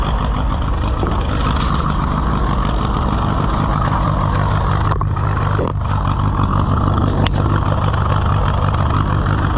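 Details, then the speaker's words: Allis-Chalmers WD tractor (WD45 engine, or the reverse), first run after revival attempt: deep, lumpy, stumbling idle near three beats per second; rough running. "well let's try to get it away before it quits it's going to quit before we get there but"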